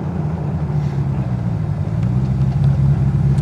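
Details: Westfield SEight with Rover V8: deep, steady V8 burble at idle with even firing, no stumbles or hunting; the rev counter reads 250–300 rpm off at idle; normal idle.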